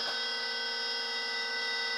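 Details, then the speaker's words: Levoit LV600HH hybrid ultrasonic humidifier running and misting: steady high whiny fan tone with a rough edge from a dry fan with heavy white calcium buildup; oiling the fan removed the noise. "it is making lots of mist but it's making a racket in there oh yeah so let's unplug it probably needs some oil or something"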